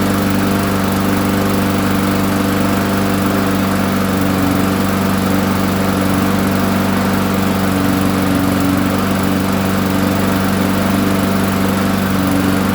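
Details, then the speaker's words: Roadside-found push mower, long sat unused, with a new gasket: holds a fast, steady buzz at constant speed without surging or sputtering; runs but smokes heavily from oil that filled the muffler when it was tipped on its side. "all right so it works smoking quite a bit it was uh flipped on its side um on my way home so it uh filled up the muffler with the oil"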